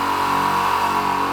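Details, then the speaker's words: Garage piston air compressor, running with tanks filled, installed in a corner: even, loud mechanical drone with steady tone, no knocks or surges; runs smoothly, louder than a screw compressor would. "Ma saan vist rääkida, tegelikult on hästi kuulda, et see kolbkompressor teeb kindlasti kõvemat häält. Oleks ta kruvikompressor, teeks ta veel vaiksemat häält."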